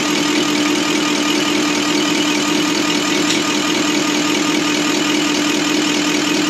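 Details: Deutz V8 diesel injection pump from a MAN KAT truck that had lost power (50 km/h max), cleaned and run on a diesel specialist's test bench; dense steady clatter with constant mid tone, like an engine running; normal running.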